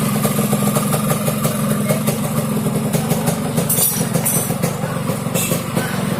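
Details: Yamaha RX King two-stroke motorcycle running steady with a coarse, rapid snoring rattle ("ngorok") over the exhaust beat; cause not pinned down by ear, though the owner notes the carburetor is slightly wet.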